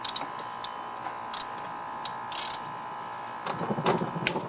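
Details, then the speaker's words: Kubota GR2100 mower transaxle, high hours, disassembled for rebuild: bearing turned slowly by hand gives irregular gritty clicks and catches over a faint ring; one side fine, the other gritty, a worn bearing. "well it doesn't sound good at all though this side sounds okay but it's all gritty on this side"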